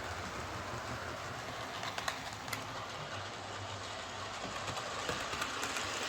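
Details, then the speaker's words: Bachmann Webb Coal Tank 0-6-2 model locomotive pulling coaches after repair of dislodged rear axles, bent pickups and a filed deformed wheel flange: quiet even running with light rail clicks about every half second, no clunking. Runs smoothly. "So let's pull this out again with the coaches. No problem at all. No more clunking."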